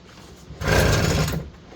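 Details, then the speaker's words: Vintage Aquascooter AS-500 water scooter, 50cc carbureted two-stroke, sat ten years, choke on, fuel leaking at carb; one rough pull-start whirr under a second, no firing, fuel spitting out; cranks but will not start. "help I can feel fuel spitting out of there doesn't want to start"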